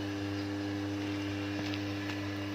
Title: Transformer Humming Noise And How To Reduce? | ट्रांसफार्मर में हमिंग साउंड क्यों आता है | Practical